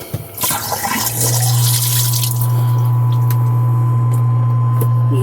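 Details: Scotsman SCCP50 ice maker drain pump after pressure switch and hose replacement (old switch had burnt contacts); water gurgles, then a steady even low hum with no rattle or grinding, running normally.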